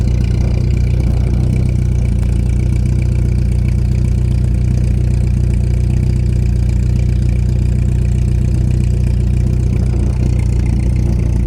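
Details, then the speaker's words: 1989 VW Jetta MK2 1.8L petrol with a louder aftermarket exhaust, a couple of minutes after a good start: smoking, low, lumpy, stumbling idle close to stalling. Owner found no vacuum leaks and has an unknown cause. "now it starts smoking and running really rough almost to the stalling point believe this is as bad as it's gonna get"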